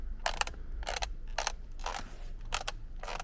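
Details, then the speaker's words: Kia K9 interior trim: six dry plastic creaks about every half second as a loose piece is flexed during disassembly; owner reports noises when braking, cornering or over speed bumps; work covers center monitor, gearbox area and rear seats. "이걸 다 일일이 분해해서 여기서 나는 찌그덕 소리 나죠"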